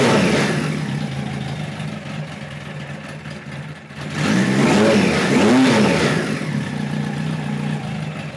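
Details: 1973 Kawasaki Z1 900 four: fairly steady idle, two clean revs, drops back without popping or stumbling; runs pretty well but needs more carb tuning, owner suspects lean running when hot; air screws at about 1-5/8 turns.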